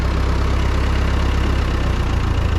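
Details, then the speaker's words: Ford 9N tractor, old four-cylinder, cold start in neutral with clutch in: low steady even thumping idle right after firing; normal idle. "Clutch is in. Here we go. Nice, starts right up."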